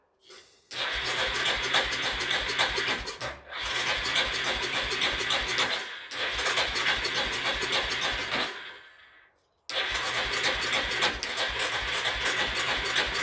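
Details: Yamaha with accelerator-pump carburetor, sat outside two or more years; starter cranks in three long rhythmic bursts with pauses but never catches, cranks but won't start.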